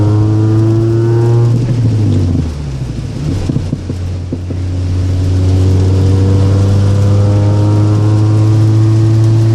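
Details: Gen 7 Toyota Celica with an aftermarket exhaust, loud knocking in rain or when driving through puddles: revving engine with a burst of rapid, uneven knocks about three or four a second, then a clean run; cause unknown.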